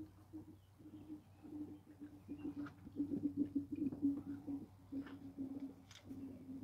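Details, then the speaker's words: 2014 Volkswagen Tiguan 2.0 TSI cooling system drain, fill and bleed: quiet irregular bubbling, gurgling and burping bursts, several per second, no steady engine tone, as radiator hose is squeezed; air pockets working out of the coolant. "now you can hear the gurgling inside. You can hear the burping and the gurgling."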